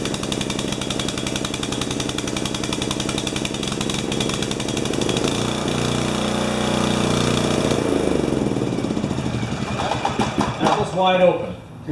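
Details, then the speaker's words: Swisher bush cutter with a 12 HP engine that had lost a carburettor piece: rough and held back at full throttle, then revving up sharply as the bowl fuel runs out. Running rich is suspected. "you can hear it at the end when it ran out of gas it picked up"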